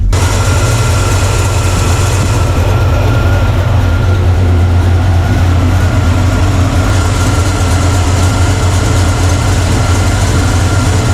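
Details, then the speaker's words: Blueprint 350 V8 in a C10 after advancing timing to just past 15 degrees: deep, even idle about 600–650 rpm with no stumble, running much better than before; engine had been idling under 500 and dieseling. "I pulled it towards just a little bit past 15, idling it about 600 650."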